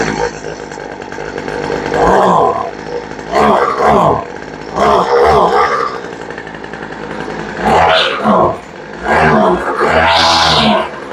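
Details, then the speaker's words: Poulan Pro two-stroke weed eater started after sitting: it revs in uneven bursts and sags between them with no steady idle, so the carburetor needs tuning. "Yeah, she's pretty close. Sounds like she might need a little bit of a tune right out of the box."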